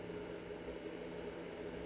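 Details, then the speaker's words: Bluetti AC200MAX power station charging at 480 W input, 40% charge: soft, steady inverter hum with a light, even cooling-fan whir, no surging or rattles; normal operation. "You can hear it humming away. Got a nice little fan in there so it doesn't overheat. And it's charging."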